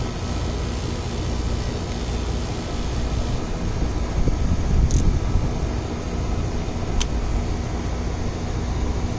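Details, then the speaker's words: Ameristar 4-ton AC condenser in 106F heat after replacing a bulged capacitor with a 60/5: steady low compressor hum with even fan whoosh, compressor around 18 A, fan 0.9 A, making cold; normal running. "Oh yeah, it's making some cold Freon now."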